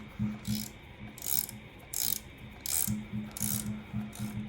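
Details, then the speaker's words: N500 auto coffee grinder after about 8 years' use, calibrating: turning the adjustment until sharp, uneven clicks about once a second show the burrs touching at the bottom zero point. "kita putar terus sampai ada suara krik krik krik ini belum ya Nah ini Kalian Dengar suaranya kalau udah ada suara Sepertinya dia sudah mulai mendekati dasar ya"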